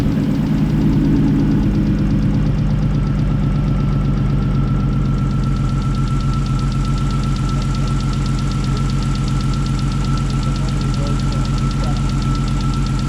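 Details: First start of a rebuilt 3.2 VR6 in a Mk4 Golf R32 after five months of parts ordering, engine back in the car: short crank, then it catches into an even, steady idle with faint belt whine. Healthy first start.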